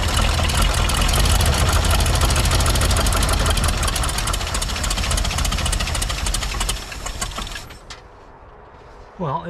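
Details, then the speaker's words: 1985 Ford Bronco V8, unrun for about 15 years, just started after starter work: runs rough with a quick, regular tick of about three per second over the exhaust before dying; owner wonders if a plug blew out or an exhaust leak, black soot on the firewall. "is there a plug blown out the is wrong with that well maybe it's exhaust leak"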